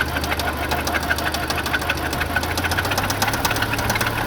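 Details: Audi B7 A4 at idle: uneven sharp knocking over a steady hum; engine knock, source not yet found, timing chain and tensioner verified not the cause.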